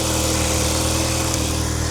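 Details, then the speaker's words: Audi TTS MK2 idling after new spark plugs and VAGSport high-discharge ignition coils were fitted: steady, even idle with a smooth low hum and no popping or misfire. "Seems to be fine to me. I hope you can hear me from the mic, but sounds good."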